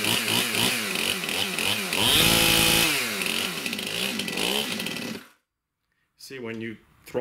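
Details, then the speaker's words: Stihl MS291 chainsaw, customer complaint of hard starting, bogging and poor idle, fuel confirmed properly mixed: screams at full throttle, then sags and wavers when let off before cutting out; it won't hold a steady idle. "Down it just does not want to stay idling properly"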